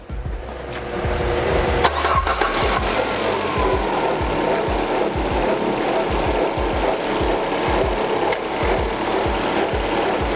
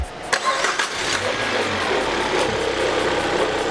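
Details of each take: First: Peugeot 308 at 30,000 km, noise on first start of the day, timing belt cover removed: engine cranks and runs with uneven slapping, rubbing rasp as the slack, low-tension timing belt rubs on its cover. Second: Peugeot 308 at 30,000 km, cold-start engine noise traced to incorrect timing belt tension, after a new timing belt kit and tensioner are fitted: petrol engine cranks, catches and settles into a steady, even idle with no rubbing or scraping.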